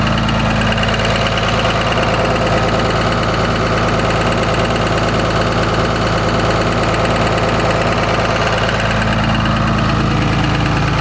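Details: Cummins diesel idling with a loud, even knock about three per second; suspected rod knock, not confirmed.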